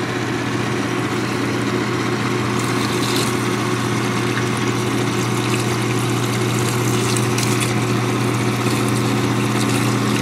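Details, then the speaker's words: GE Potscrubber 970 dishwasher on a cold-water fill, first drain, wattmeter attached: a steady low drain-pump hum with water swishing, and a click a few seconds into the drain as the heating coil turns off. No grinding or rattle; the pump works normally. "so that is one cool thing about this dishwasher on the first drain is that as it like a couple of seconds after it drains i'm sorry after it starts draining you hear another click it's the coil turning off right like i like that process"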